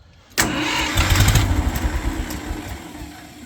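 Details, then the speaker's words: Ford 2000/3000 gas tractor backhoe started after the busted exhaust pipe and muffler were replaced: cranks and fires promptly, then settles into an even idle with a steady low exhaust note and no rattles. Normal start. "so let's crank it up and see how quiet it got"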